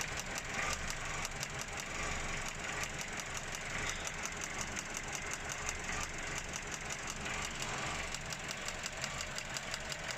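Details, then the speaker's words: 2013 Vauxhall Corsa 1.3 petrol idling unevenly with a stumbling pulse and engine shaking: loud misfire in one of the cylinders. "You hear this noise. You know the engine shaking as well at the same time. It's loud noise, misfiring."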